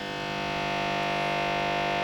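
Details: VVT Lindy Fralin model valve amp combo: loud steady low hum with a buzzy edge, constant with no playing, measured across the series HT filter capacitors.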